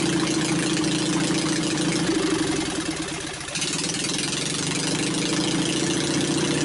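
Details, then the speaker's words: Onan 22hp opposed twin with points ignition retrofit, new battery, temporary setup with ignition wire lying on exhaust: steady even chuffing about three and a half beats per second with one brief dip; running well. "I'd say it sounds pretty good course it don't help that uh my ignition wire was laying on top of the exhaust but this is just a temporary setup"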